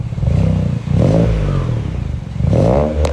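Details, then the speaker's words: BMW 335i first start after vacuum pump replacement (owner worried about timing): two quick throttle blips climb and settle cleanly, no rattle, slap or misfire; sounds much better, timing seems fine, normal revving. "bruh this sounds way better I don't think we [ __ ] up the timing"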